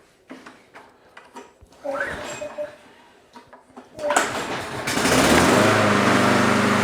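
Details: Troy-Bilt TB320 21-inch rear-wheel-drive mower, Briggs & Stratton 725 series EX 190cc. First start after fitting the missing choke spring: a few pulls and sputters, then it catches and settles into a steady, even run. Normal start and run.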